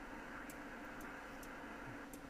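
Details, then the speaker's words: Icom IC-7610 transceiver with Digi-Select scanning the 7 MHz (40 m) band: quiet irregular clicks every fraction of a second over soft hiss as the preselector tracks tuning, resembling an antenna tuner; normal preselector relay clicking. "if we go into a scan now the steady right I'm not sure what you can hear the clicking or not but it's definitely there"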